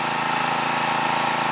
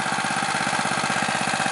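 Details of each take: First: New stock Harbor Freight Predator 212cc OHV engine (Honda clone), 87 octane fuel, 10W-30 oil, choke set halfway, mid-range throttle, about 40-45 degrees at 1200 ft altitude: even, steady drone with no pops or sputters; smooth running. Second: New stock Harbor Freight Predator 212cc OHV engine, warm, choke off, stock Ruixing carb, 87 octane, at full throttle factory maximum governed rpm: uneven pulsing as governor rocks back and forth; hunting, suspected from very lean mixture.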